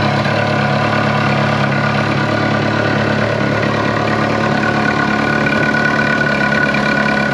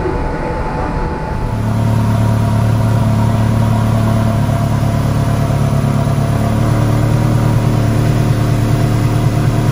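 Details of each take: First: Ferrari 360 Challenge Stradale Spider V8 at idle: even idle with a thin whistle-like tone riding over it; belt tension feels okay and WD-40 on the pulleys did not change it, source not yet found. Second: Ferrari 360 Challenge Stradale Spider V8 at its first fire-up after rebuild, with fresh plenum gaskets and the water plumbing resealed; deep, even rumble swells briefly then holds smooth and steady with no ticks, knocks or stumbles; earlier water leaks now cured, normal running.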